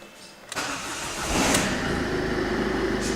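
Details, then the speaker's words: Ford Figo with a blinking theft light and no start, after cleaning the battery terminals and coating them with vaseline: short crank, then the engine catches cleanly into a smooth, even idle and the warning lights go off. "as you can see the car gets start and all the opo up lights goes off"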